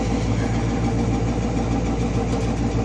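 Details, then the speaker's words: 2002 Alpenlite 11.5 ft camper propane generator with 187 hours, started after sitting for months: steady generator drone with a loud, raw, unmuffled exhaust rasp from the broken flexible tailpipe. "this generator I started it many months ago and it broke the tailpipe I have this camper sitting really low to the ground and there's a flexible fitting that has the tailpipe"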